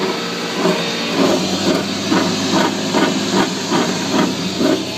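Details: 1996 Toyota 4Runner rear end grinding while driving: rough scraping grind pulsing about twice a second with wheel speed over steady hiss; rear-end fluid changed showed no excess metal; owner suspects wheel bearing, unconfirmed.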